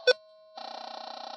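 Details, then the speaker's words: Garrett GoldMaster 24k switched on with the ferrous cancel button held, while another prospector's detector runs a few feet away: a short beep, then a steady mid-pitched tone growling with a fast warble of about twenty pulses a second from the interference. "I'm going to go ahead and turn my machine off and hold down the ferrous cancel button when I turn it back on. So I'm going to hold that little nail down, turn on the machine, and I'm picking up that interference."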